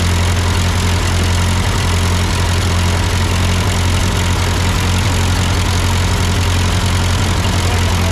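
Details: Ford 8N tractor at idle with no load, just after a carburetor adjustment. It had sputtered uphill, blamed on a cheap Chinese carb; an old Marvel-Schebler ran fine. Steady low chugging, no stumbling or surging: normal idle.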